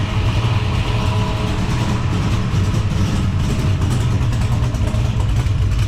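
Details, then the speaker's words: Holden HT Monaro V8 holding a steady, even idle after the faulty MSD ignition module was replaced, with alternator wire run and thermo fans on. No misfire, stumble or tapping; the owner says it sounds mint. "eh sounds good he going to hold that down the back well I must say I'm very pleased with that that sounds mint"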